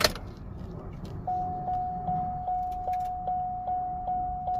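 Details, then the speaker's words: Chevy Cobalt SS first start after engine install, fresh battery plus jump pack; steady ~750 Hz whine pulsing about 2.5 times a second while cranking, no pump buzz before. Suspect no fuel delivery. "So I don't hear the fuel pump running, but"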